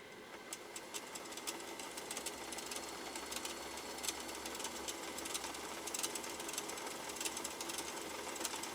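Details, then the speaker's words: Singer sewing machine motor run unloaded with the clutch disengaged at full foot-controller pedal: light, rapid ticking that never reaches proper sewing speed; the motor is underpowered, and the owner plans to open the casing to inspect it. "that's definitely not full power i mean i'm i'm giving it full power with the foot controller but that machine is not hitting what should be an optimal sewing speed level rpms"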